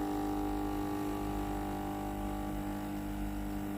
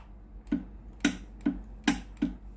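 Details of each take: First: Philips GC9622 steam iron, tested after power-on once the status light stops blinking, pump feeding water into boiler. Steady electric buzz and clean hum for several seconds, then stops: normal water pump operation. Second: Philips GC9622 steam iron: the electrovalve clicks crisply about every half second when steam is pressed, but no steam hiss follows and the hose stays cold; the boiler heater is open circuit and the boiler needs replacing.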